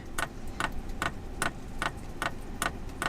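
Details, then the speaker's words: Lavaner Pro 5kW Chinese diesel heater newly installed in a campervan, first start: over a faint fan hum, the dosing pump ticks crisply and evenly about 2.5 times a second, drawing fuel through the line and filling the filter; normal priming. "So it won't turn on immediately because it needs to suck the fuel through the line. The fan turns on, I can feel it. But the fan turns on. There we go, it's just filling the fuel filter, ticking"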